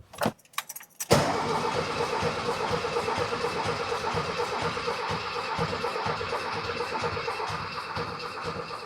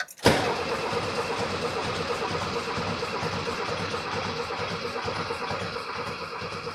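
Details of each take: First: 1979 VW Super Beetle air-cooled engine, first crank after over 10 years sitting from a fuel issue, battery fitted: a brief jangle, then even cranking at about two turns a second, not firing; engine turns over freely and healthily. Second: 1979 VW Super Beetle air-cooled engine, sitting over 10 years after a fuel issue, fresh battery, starting fluid sprayed: steady healthy cranking keeping an even rhythm without a catch or pop; cranks but never fires, cause not confirmed.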